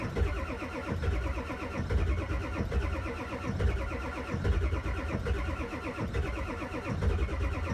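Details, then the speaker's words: Ford 7.3 Power Stroke diesel cold start at 0°C (32°F): slow, labored cranking about one heavy turn every two seconds for eight seconds without catching, building oil pressure before glow plugs are rerun. Extended cranking on cold start. "okay I don't like cranking that long one more time it'll fire up now it's got oil pressure and we got some hot glow plugs"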